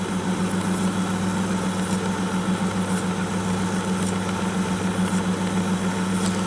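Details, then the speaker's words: 1962 Sony TC-521 reel-to-reel, motor lubricated and controls deoxidized, running tape: steady low hum with a faint scrape ticking about once a second from the old hardened rubber idler wheels. Idler wheel noise; playback otherwise fine. "noise is these old hard rubber idler wheels so nothing I can really do about that other than just live with it for now"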